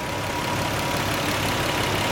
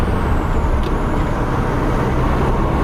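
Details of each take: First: 1990 Nissan 300ZX twin turbo at idle after replacing the PTU to fix a misfire: even, steady idle with no more hiccups, running smooth; slight smoke seen afterwards, owner suspects turbos. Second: 1990 Nissan 300ZX Twin Turbo on a drive after a PTU replacement for a misfire, now running better: thin squeal over the driving noise rises in pitch then holds a steady piercing note; cause unknown.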